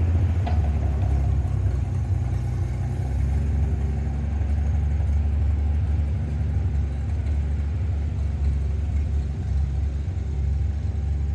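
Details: International 1-ton flatbed (stated 1947 or 1949), revived after about 50-53 years, 12-volt with replacement coil lacking required resistor; deep even rumble, steady throughout, no knocks or misses while pulling well in gear; normal running.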